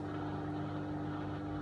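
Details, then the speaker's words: Hotpoint WMA50 washing machine on a test wash after a new suppressor was fitted, pumping out hot dirty water from the first wash with the pump area warm; a steady, even low hum with no grinding or rattle shows normal draining. "it's quite warm there near the pump going should take on some cold fill now for the rinse them yet actually might might be a spin to wring out some of that"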